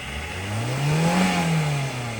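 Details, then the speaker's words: 2017 Lincoln MKZ Hybrid Black Label 2.0 L, 141,000 miles, driving on electric before repair: droning whine climbs with speed, holds, then falls away over about two seconds; total stator bearing failure in the hybrid transmission, later replaced. "All right, so total stator bearing failure."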